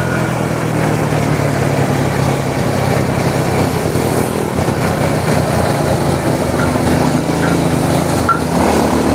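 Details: Honda Supra motorcycle shipped in by cargo in a box, after workshop overhaul of a badly damaged engine; runs steady and even through throttle blips, no knocks or rattles over the exhaust note: normal running.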